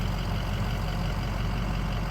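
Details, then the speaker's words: Ford 6.0 Powerstroke diesel truck on a fuel mix of used engine oil and gasoline, idling warm after the drive to work. Deep, even idle rumble with no injector rattle or knock; the injectors are unusually quiet and it runs smoothly. "can't hear the injectors right now they're so quiet this truck's sitting here is so quiet amazing"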